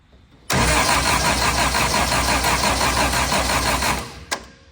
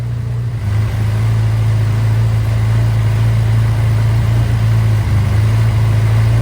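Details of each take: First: Austin-Healey Sprite with a newly fitted 1275cc A-Series engine, first start, choke pulled and spark confirmed: fast, steady starter cranking for four seconds without catching; no fuel reaches the filter and the electric fuel pump can no longer be heard. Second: Austin-Healey Sprite with a newly fitted 1275cc A-Series engine, first run, after the throttle was backed off from too high an idle: a steady, even, smooth idle with no misses or hunting, at the right speed for setting the ignition timing.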